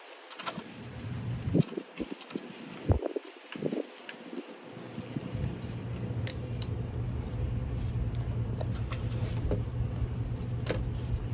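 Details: Vintage Raychem Thermogun Model 750 heat gun, about 25 years old, after rewiring its crumbling wire. Its crooked fan blades on the set-screw shaft were bent straight, which was possibly the cause of an earlier noise. After a few handling clicks the fan settles into a steady, even low hum with no rubbing or rattle.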